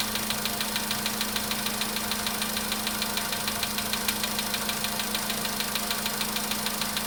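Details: VW Polo sedan, cold start at idle: a sharp, regular ticking knock of about three a second, steady and persistent. Cause unknown.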